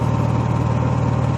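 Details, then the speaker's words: Honda EXW171S gas welder/generator after cleanup, battery install and fuel system restoration, idle adjusted; low even drone with steady soft pulse at very low auto-throttle idle, no misses or rattles; normal idle. "super super fun getting idle adjusted and stuff this morning really allowed this thing to idle down we got throttling Auto really the RPM is very very low"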